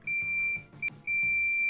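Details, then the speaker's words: Multimeter continuity buzzer tested during repair, battery fitted, continuity mode, spring contacts shorted: clean high-pitched steady beeps start and stop each time; piezo buzzer now sounding normally. "Şu anda çalışıyor. Duyduğunuz gibi, gördüğünüz gibi."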